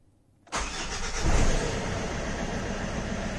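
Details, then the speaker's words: Suzuki Grand Vitara after replacing worn alternator brushes: short crank, engine catches cleanly and settles into steady even idle, no battery light, charging at 14.3 volts; normal engine start. "that's good news no battery lights can't see any issues with the belt so we're running 14.3 volts which is pretty good that's normal"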